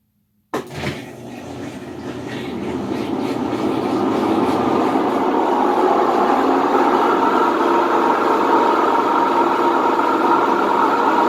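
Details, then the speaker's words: Whirlpool WTW4950XW washer on drain/spin cycle: loud steady rumbling roar builds as the drum spins up, typical of worn drum bearings; a coin had been found inside. "vamos a escuchar este sonido que es lo considero como típico de una lavadora con problemas de rodamientos"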